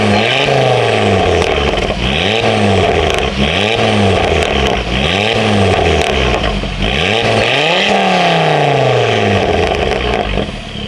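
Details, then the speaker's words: Ford Focus ST/XR5 Turbo after an exhaust leak repair. Revs rise and fall every couple of seconds with a clean, even exhaust note, much quieter, with no ticking or puffing and sound now coming from the rear. Exhaust sounds sealed, normal. "Moment of Truth let see how we do see if our little exhaust misfire problems gone come on ah much quieter [Music] now and it's finally coming from the back of here"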